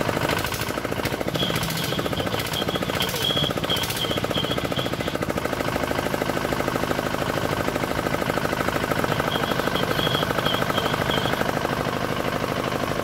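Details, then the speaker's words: D10 R190 single-cylinder diesel at idle, brought in for hard starting and a horn-like chirping noise behind the rear cover; two bolts on top tightened, now starts easily. Rapid even chugging, about three beats a second, no gurgle or stumble. "Thế bây giờ làm Máy nổ rất là dễ và rất là là giòn kiểu như các bạn"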